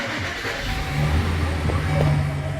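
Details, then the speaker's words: Chevy van with gauges acting up and no start, after adding a new engine ground wire: cranks and catches quickly, then settles into a steady run. Starts normally; the faulty main engine ground was the cause. "how now it's star I'm gonna turn it off crank it up again there it is"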